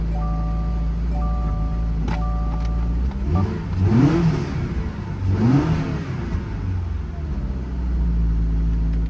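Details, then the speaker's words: Totaled custom 1940 Ford Deluxe with automatic, first start in a while after sitting in cold weather: catches, settles to steady idle, two clean rev blips; engine sounds good, slight exhaust smell, no burning oil. "engine sounds good but like I said I don't know if it said any hit underneath it"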